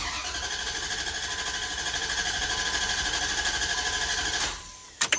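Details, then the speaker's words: 2003 Dodge Ram 1500 2WD 4.7 V8 with P0302 cylinder 2 misfire, clear-flood cranking with injectors disabled for oscilloscope relative compression test; even starter pulses about three per second, all humps equal, compression good. "The relative meaning it takes a good amount of current for the starter to overcome compression. So if they're all about the same, which they are, that means we're good."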